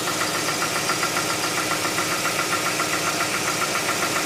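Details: 2007 Tucson 2.0 16v GLS, cold-start morning noise that disappears after about 10 km: quick, fairly even light ticking about three or four per second over a steady idle; top-end tick, mechanic suspects lifters (tuchos), unconfirmed.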